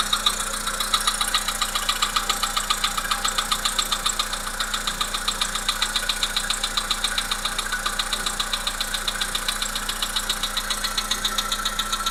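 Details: Volkswagen Polo Sedan, 1.6 CFNA engine at idle: steady, sharp metallic ticking at about 220 a minute over a smooth idle, even and persistent; cause unknown. Engine knock.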